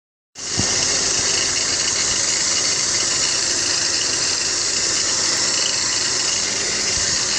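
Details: BMW X3 E83 idling with a steady, loud high-pitched hiss and whir over faint rattly ticking from the engine bay; owner suspects tensioner pulley or water pump bearings, not confirmed.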